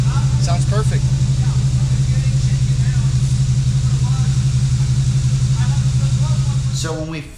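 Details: Red LBZ Duramax diesel being diagnosed for suspected injector wiring hooked up wrong and coolant issues: steady even idle with low regular rumble, no skip or stumble; sounds perfect, though a miss from the driver's-side injector harness was later found.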